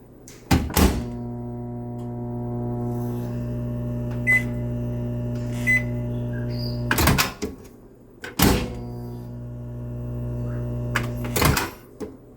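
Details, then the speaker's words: 2019 GE microwave: transformer and magnetron keep humming after the timer ends and through cancel beeps, caused by a power relay on the control board sticking closed. "I mean she was pressing cancel and you hear it beep beep beep but it was not doing anything except running the manatron"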